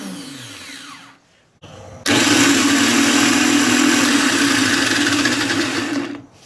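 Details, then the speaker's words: New (not remanufactured) Nissan Maxima starter on a bench test, jumpered from the solenoid to battery positive: after a brief tap, a steady, smooth, high-pitched whir for four seconds then spin-down; smoother and more powerful than the old reman unit. "sounds a lot different than my old one. Sounds really smooth, and a little more power."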